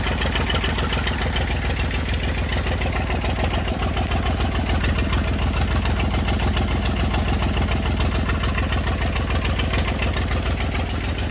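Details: Massey Ferguson 35 diesel tractor, sat in woods 20+ years, revival start with leaking radiator, water and fuel leaks: even, low idle with steady chuffing about three and a half beats a second, no misses or knocks; runs fine.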